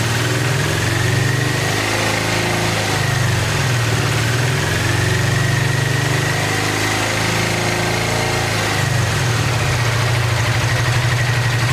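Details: 1986 Honda VT500 Shadow V-twin, long-stored: lumpy running with irregular stumbles and the rear cylinder dropping out; owner believes airbox water is shorting the rear plug, which brake cleaner dries only temporarily, and rusty water is coming from the radiator cap.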